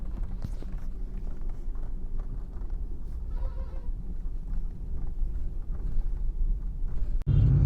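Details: Car on rough, bumpy road: low road rumble with scattered irregular light clicks and knocks; interior rattling noise, source not pinned down.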